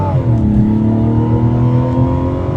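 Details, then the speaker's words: 2025 Mazda CX-70 mild hybrid, 3.3-liter turbo inline-6, 8-speed automatic, during a 0-60 run: several tones climbing in pitch with speed over engine roar, with vibration; whine attributed to the electric drive motor, cause suspected. "a lot of whine in there yeah you can hear that whining and that's that um electric Drive motor"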